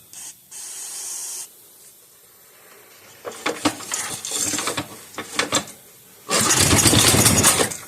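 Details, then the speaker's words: 5 hp Briggs & Stratton engine from a Bolens 5 rototiller, freshly reassembled, run on the bench with diesel in the cylinder: catches and runs in ragged, uneven bursts, then hisses out; possibly flooded, unconfirmed; rough running. "It's going to smoke. There was diesel in the cylinder, so it is going to smoke."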